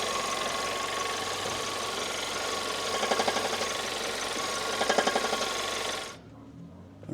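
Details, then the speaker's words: 2014 Audi A1 1.4 TFSI S line, engine idling, in neutral, car pushed and rocked: two short rattling clatter bursts; faulty manual gearbox, later replaced. "There is definitely something wrong with the um with the gearbox."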